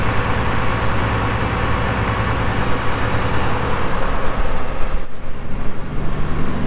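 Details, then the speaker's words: 1979 International 986 2WD tractor with cab, hour meter showing 2,321 hours (previous owner estimated about 3,200), engine fired up for a listen: steady, even diesel clatter and deep rumble with no knocks or misses; normal, healthy diesel idle. "we'll fire it up, let you hear the engine. It runs great."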